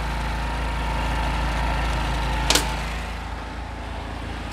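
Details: Honda Wave S110 whose revs hung after releasing the throttle, after tightening a loose intake bolt that caused an air leak: even, steady idle settling back smoothly with no hunting or hang; engine sounds right.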